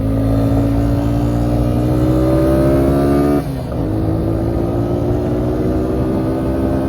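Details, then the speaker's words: 2000 Suzuki Quadrunner 250 4x4, 603 miles, sat about 2 years, revved after refitting the airbox lid and air filter: even single-cylinder drone, revs climb smoothly, quick throttle dip with clean pickup; running really well. "I still gotta put the air box lid and the air filter. It'll run way better like that. Lid on there, started running really good."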